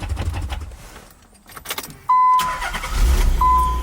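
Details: High-mileage Nissan 300ZX start test after replacing and tensioning the serpentine belts: a couple of dash chimes, then the engine catches into a low rumble with no belt squeal.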